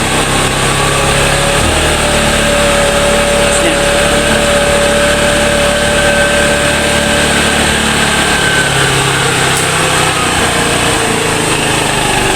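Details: Motorstar Easy Ride 150 single-cylinder motorcycle after fixing a misfire blamed on stale, spoiled gasoline: steady, even idle with no stumbles or missed beats; misfire gone, normal idle.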